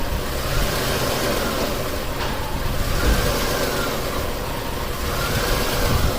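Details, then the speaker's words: 1989 Buick Reatta 3.8L V6 with stalling, hard start and rough idle despite many new parts: idle swells and sags every few seconds in closed loop as the oxygen sensor reads lean; no intake leak found on smoke test. "see we're in closed loop and the auction sensor keeps going down and down and down saying that we're we're running lean and you can hear how the car is running"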